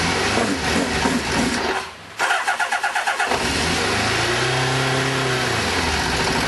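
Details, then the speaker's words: Kawasaki GPZ600R, first start on choke after standing over 18 months: it cranks, catches and revs with a ragged, limping exhaust beat, running on 3 of 4 cylinders while the 4th seems to be trying; misfire on one cylinder. "Oh, there we go. Sounds like it's running on 3 cylinders, but not bad for 18 months off the road. Definitely running on 3."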